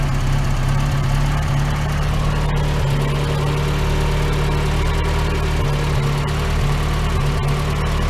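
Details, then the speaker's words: Rocket Bunny Miata petrol engine with a rough, misfiring idle nearly stalling: the low rumble stumbles and sags. Owner suspects the plug wires; one was cracked, one wet at cylinder one, and new NGK plugs and wires fixed it. "Like, just so bad. Like, it's almost stalling out, right?"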